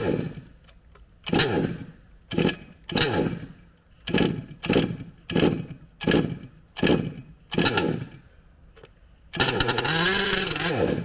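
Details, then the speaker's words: HPI Savage Octane petrol RC car on its second run, on a cool 9° morning: the tiny engine fires in short bursts about every second and dies between them, catching briefly at high revs; owner suspects ignition breakup from a failing coil or loose, broken wires, not fueling. "yeah that is textbook breaking up either a breaken up coil or loose broken wires that's textbook textbook because as soon as the vibration of the engine it comes loose doesn't make a connection drops off a cliff"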